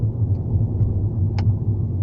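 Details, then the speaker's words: Hyundai i30 driving, including uphill: low road rumble then a single sharp clack every time the throttle is lifted, not tied to gear changes; driveline knock on lift-off, cause not yet found. "Ese ruido. Cada vez que dejo de acelerar, clac."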